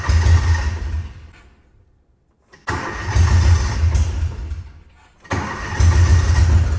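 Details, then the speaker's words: Old UTV started with the battery in: it fires and runs in short bursts with a deep, even exhaust thump and no knocks, and the motor sounds healthy. The owner is unsure whether the pump should be getting 12 volts. "She's running. The motor sounds healthy, but I don't know if we're supposed to get 12 volts to that pump or not."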